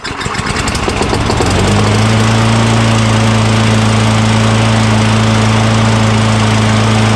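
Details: Craftsman lawn mower with 6.75 Tecumseh engine, curbside find during oil sludge drain repair, primed with degreaser spray into the intake: catches after a sputtering start, then steady even drone, no knocking or misses. Running healthy.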